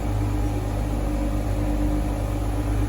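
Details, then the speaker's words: Dodge Journey 3.6 engine after repair for a constant valve-tapping noise: worn camshaft reconditioned and four faulty rocker arms replaced, oil pressure in order; smooth, steady idle hum with no ticking left; normal idle. "tá funcionando já não existe mais o barulho de batida de válvula funcionando redondinho"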